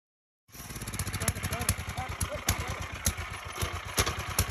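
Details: Formerly seized free wood chipper's 10 horsepower engine, front removed after clearing the jammed stick: small single-cylinder running with a fast, slightly uneven beat, no knocks or grinding, turning freely.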